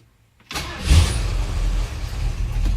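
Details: 1978 Ford F100 Ranger XLT, 351W V8, 2WD, AOD automatic swap, Cherry Bomb glasspacks, owner suspects an aftermarket cam: cold start, quiet then catching at half a second into a deep loud lumpy rumble; fires up cleanly.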